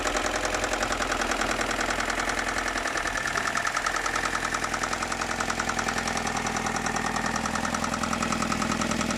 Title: m42 knocking noise need help please